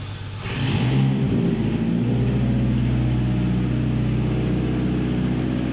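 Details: Contract Mitsubishi 4B11 engine, number 49290, first start on test stand for compression check: catches quickly and holds smooth, even low throb, no knocks, misses or rattles; healthy.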